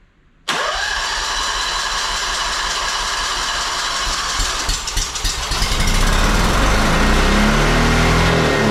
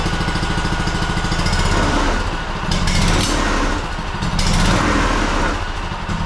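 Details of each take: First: Honda two-cylinder engine that sat 10 years, fuel line rinsed and running off a squeeze bottle feeding the carb: it fires instantly, then revs climb and hold wide open with no throttle input. The governor was stuck; it was fixed afterwards. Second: Honda two-cylinder engine that sat 10 years, repaired (stuck governor freed) and reassembled, final start: quick, even low thumping that settles into a steady idle with no knocks or misses. It fired right up.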